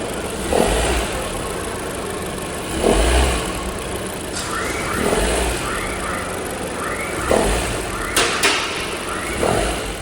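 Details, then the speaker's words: Honda Civic RS turbo (2016-2021) started, in D with the AC on: above a certain rpm a harsh raspy grinding burst repeats about every two seconds, from a failing serpentine belt auto tensioner. "तो स्टार्ट करके इंजन की आवाज़ मैंने आपको सुना दी है, किस तरह की आवाज़ आ रही है। लाइक गाड़ी को जैसे ही आप स्टार्ट करके D में डालते हैं और साथ में AC भी ऑन करते हैं तो ख़ास एक RPM के ऊपर आके बहुत ही अजीब सी आवाज़ आती है, जो कि किस चीज़ की है, वो है ऑटो टेंशनर की।"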